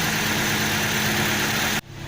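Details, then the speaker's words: Engine idling steadily and smoothly with no misses, stumbles or knocks while spark plug condition is being checked, before revving; normal idle. "kita lihat mesin langsam dengan normal."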